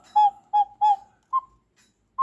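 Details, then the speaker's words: Lux cuckoo clock Bakelite bellows: three clear whistle puffs at a steady mid pitch, then two slightly higher; with the case side hole plugged it gives the low note, released it gives the high note; working normally. "Now, I'm only going to guess, but I think the reason why this hole is in the case is to allow extra air to come in through here to allow the sound. Because right now, it sounds like a low note bellow."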